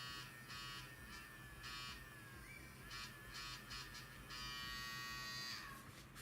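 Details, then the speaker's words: Hair clipper running: high buzzy hum with a rough fluttering edge and pitch wander, excessive vibration; owner suspects play in the eccentric pressed onto the motor shaft, not confirmed. "Ah, well, this is probably an eccentric. It is pressed onto this. Probably, this play is most likely the reason for such vibration."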